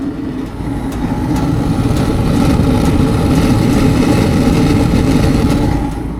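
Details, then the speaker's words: LG gas dryer that had stopped heating, running after its sticky gas solenoid valve was tapped until it lit (owner still suspects problems): steady low rumble of the tumbling drum with an even burner roar, no stutter; normal running. "My gas solenoid valve, had to do a little bit of banging on there, tapping it, and then it fired up."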